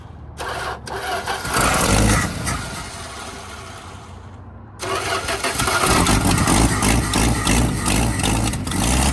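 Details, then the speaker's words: Abandoned 1975 Dodge pickup, first start attempt with starter jumped by wire and an old smoking battery: slow labouring cranking about three per second, stops, cranks again and briefly catches; starter sounds rough and tired. "I couldn't tell what was going on in the engine bay because the starter sounded so bad."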